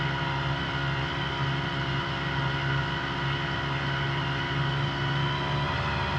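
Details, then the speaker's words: New Hangkai 3.5 HP two-stroke outboard on 30:1 oil-gas mix, first start after priming, in neutral: smooth, even low drone with a steady buzz and no misses or knocks; normal running. "all right she starts up uh seems to be running pretty good"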